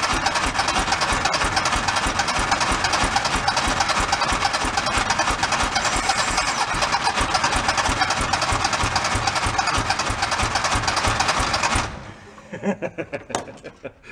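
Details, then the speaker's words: Abandoned 1976 Porsche 914 station-wagon conversion, fuel dripped in by hand; the starter cranks steadily for about twelve seconds with an odd firing stroke but never catches, so the starter is left to cool down. "like so close like it's the starter cool down"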